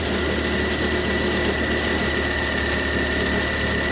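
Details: Grinding noise after cold start on a 2015 Volvo XC60 T5 AWD: engine starts, then around 22 s a deeper rough, gritty grinding begins with slight car vibration, fading by 40 s, over a thin steady high tone.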